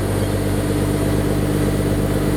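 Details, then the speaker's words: Holden VE SV6 60th Anniversary, 3.6 L Alloytec V6, warm engine idling after a new stainless exhaust was fitted: a smooth, even, quiet low drone with a steady beat and no knocks or misses. Normal warm idle. "So when you're just driving around normal, it's just, you know, nice."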